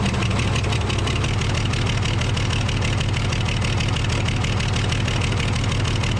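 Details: Case 855D loader with 12-valve 5.9L Cummins diesel at idle, before repair: uneven stumbling beat instead of a smooth clatter; misfire from a bad injector that caused loss of power and overheating.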